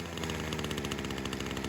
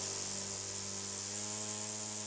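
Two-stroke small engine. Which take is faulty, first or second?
first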